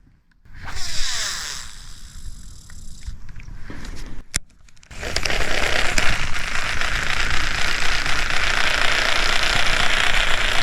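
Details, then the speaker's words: Sheng He Lingl 2 BFS baitcasting reel casting a heavy sinking minnow: harsh crackling buzz builds and holds as the line pays out, extremely loud and buzzy, with roughness felt through the frame; cause not confirmed. "Okay, so surely you guys have been hearing or listening as I've been casting around that this reel is extremely loud and buzzy during the cast."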